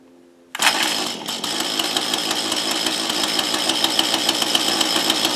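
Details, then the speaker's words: Mantis rototiller two-stroke after swapping a bad carburetor for a replacement, primed twice: fires on first pull and holds a steady high buzzing fast idle; runs clean. "holy crap I don't believe it don't believe well I'll tell you something I'm pretty shocked that was the first pull"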